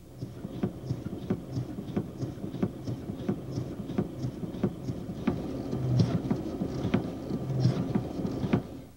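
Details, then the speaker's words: Power steering: sharp, irregular clunks about 1.5 per second as the wheel is flicked back and forth; normal mechanical knock from rapid reversal, not a fault when from pinion-rack mesh and valve-body internal stops. "a pancada é um ruído mecânico induzido pela mudança rápida no sentido de giro no volante de direção"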